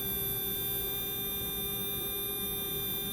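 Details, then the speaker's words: Small brushed motor (revived or new) running upright during a quick oil-drop break-in: clean, steady high whine with a consistent tone and no warbles, slightly off at the top end; smooth normal running. "that sounds really smooth it's beautiful do you hear the tone it's consistent it's not causing any sort of warbles like a new motor usually has"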